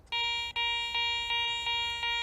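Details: Garrett ACE 400 metal detector, 10 kHz, jewelry mode with iron notched out: clear high beep about twice a second each sweep over a bottle cap.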